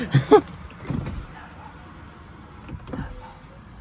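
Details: 2006 Mercedes S500 V8, a flood-damaged, rebuilt salvage-title car: a short electric whirr as the glass travels, smooth with no grinding, clicking or straining; the power window motor works normally.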